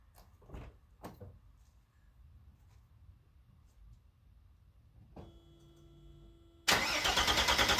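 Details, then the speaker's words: Mercedes 300SE with replaced injectors, sat a few days in cold weather with a possibly weak battery: starter grinds with a quick, even chugging beat without firing; hard start, fuel distributor or pressure regulator suspected. "now is turning into a hard start [Music] oh [Music] well I'm going to let it sit there and warm up a little bit"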